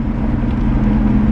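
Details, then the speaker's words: Volvo 240 with six-cylinder diesel, heard from the cabin at highway speed in fifth gear: steady low droning hum fills the cabin with no knocks; owner links the noise to a problem with fifth gear. "there is a drivetrain noise that fills up the cabin"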